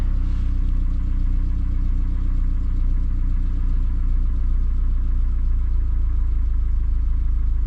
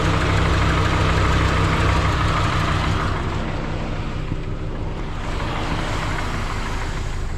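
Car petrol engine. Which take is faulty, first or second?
second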